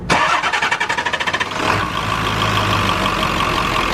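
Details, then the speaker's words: Truck after tightening the orange boots: quick even cranking, clean catch, then steady smooth idle with no hiss or flutter; sounds way better and healthy. "Sounds way better."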